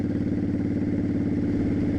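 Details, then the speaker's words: 2002 Honda Shadow Aero 1100 after carb kit (new jets, shims), riding at about 35 mph, GoPro audio: steady even V-twin thump, no knocks, misses or rattles over exhaust; sounds like a normal healthy bike. "And I'm going to get on the highway here pretty soon. You'll hear that. I mean, it sounds fine. I think it sounds like a normal bike, but we'll see."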